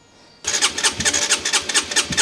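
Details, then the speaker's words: Crash-damaged Honda CBR125 after rebuild, first start attempt: starter spins the engine in quick, even pulses, about nine a second, but it never fires because petrol has not yet reached the carburettor; it later started with quarter throttle. "let's just see if it'll spin over okay looking good sounds good to me but it will take a bit of time for petrol to come through"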